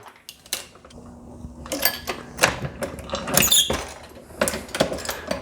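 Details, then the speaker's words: Short squeaks and creaks with each press stroke as brass cases with three firings go into the sizing die; the dirty brass drags in the die. "these cases being a little dirty getting squeaky on us you can hear that sizing die squeezing down"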